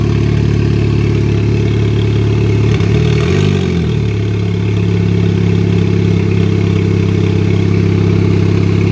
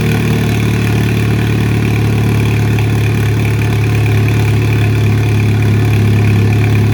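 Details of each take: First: 2004 Chevy Cavalier 2.2 L Ecotec I4 with 57 mm turbo, first start on two-year-old fuel, no intake or exhaust sensors: loud, deep raspy idle with a brief rev; wastegate wide open so exhaust bypasses turbo unmuffled. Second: 2004 Chevy Cavalier, 2.2 L Ecotec I4 with 57 mm turbo, cold start in an enclosed shop on 2-year-old fuel, no intake or exhaust sensors fitted, exhaust half-installed. Loud but steady, even idle with no misses or knocks, turbo audible: normal cold idle.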